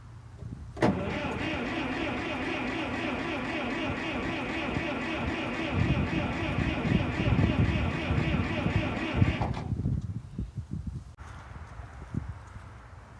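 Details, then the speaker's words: TD9 crawler in cold weather after draining the fuel and refilling with non-ethanol premium plus fuel heat, flushed through the carburetor. The starter turns the engine steadily for about nine seconds without it catching. Cranks, no start; the owner wonders if the cold is to blame. "That's disappointing. Maybe it just doesn't like cold weather."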